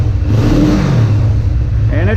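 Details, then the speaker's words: 1985 Kawasaki 454 LTD EN450 twin after valve adjustment, carb rebuild and new plugs, with 150/140 psi compression. Started cold and now off choke, carbs not yet synced: a deep, even rumble that picks up cleanly on throttle with no stumble. "keeps coming all the way up that sounds nice"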